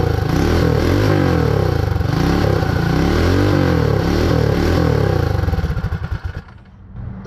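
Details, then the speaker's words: Predator 224 Max Performance Hemi minibike on first start after the build, no clutch or chain fitted. It stumbles with surging revs and backfire pops, and the carburetor leaks fuel; a stuck float or needle is suspected. "let's give it a little bit of gas almost try it again there's a little smoke coming out here backfiring thank you"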